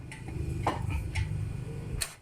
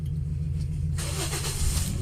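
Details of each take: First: 2010 Toyota Vios after front collision with radiator and condenser replaced: starter spins engine with even chugging rhythm but it never catches, check engine light on; crank no start from failed camshaft position sensor. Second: Toyota Vios 2010 after radiator and AC condenser replacement and clearing a cam position sensor circuit code: quick catch on the starter, then smooth even rise in revs with no misses or knocks; starts and runs fine.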